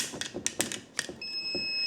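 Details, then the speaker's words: ATGFOX 8250A jump starter, clamps touched together in a test: a few sharp clicks, then a steady high electronic beep warning the cables are wrong and must be reversed. "You hear the audible sound. That I love. That sound tells you that the cables are not the way they should be and that you have to reverse them."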